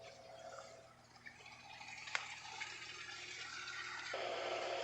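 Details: Whirlpool top-load washer with 360 agitator, draining in test mode: steady rushing water with a soft pump hum underneath, no grinding or knocking; drain running normally.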